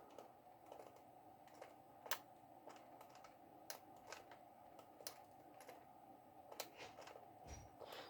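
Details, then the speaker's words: 1:28 scale RC excavator running from a cheap 5V 2A mini DC-DC boost module: faint, irregular clicks as the drive motors try to start but stall without enough power, with voltage drop under load. "can hear them clicking like they're trying to start but it just does not have the power"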